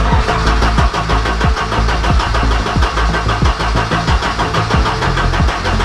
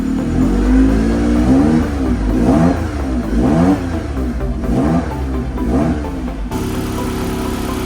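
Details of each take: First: Abandoned Ford Sierra Sapphire RS Cosworth, not MOT'd since 2014, first start attempt with new fuel lines: steady even starter chug for several seconds, never catches; no fuel reaching engine because the fuel pump was wired backwards. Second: Abandoned Ford Sierra Sapphire RS Cosworth, not MOT'd since 2014, after fuel tank wiring corrected: engine blips up and down about once a second, then settles to a steady even idle, no misfire or knock, temperature rising; runs fine.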